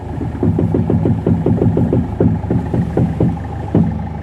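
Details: Toyota Etios knocking when steering is turned: repeated hollow clunks, about four a second, unevenly spaced; front strut mount bearing suspected, not confirmed.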